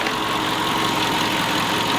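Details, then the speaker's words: Audi being viewed to buy, started with a jump pack after the seller had already warmed it up: brief, steady, even idle with no knocks or misses, sounding smooth. "sounds well smooth."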